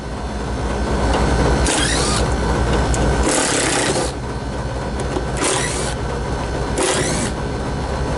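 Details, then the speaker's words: Newly installed Lennox KGB unit, blower compartment door off, compressor disconnected so only fan runs: steady low fan hum broken by repeated harsh rattling bursts and vibration; out-of-balance blower wheel with a flat spot, replacement wheel to be fitted. "let me see if I can get this door off and show you guys kind of what that rattle sounds like with the uh the door off and how bad it actually is."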